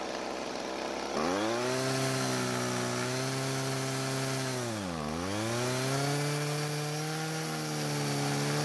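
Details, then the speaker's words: Old Homelite two-stroke string trimmer that quit mid-use and wouldn't restart despite fuel, spark and compression; after priming the bulb it fires clean, holds steady buzz, dips and climbs smoothly with throttle; runs healthy, L screw unadjusted. "So the engine started and ran very well, which is great news. Now, since it idled up and revved just fine, I didn't feel the need to adjust the L screw, which is the one closer to the engine."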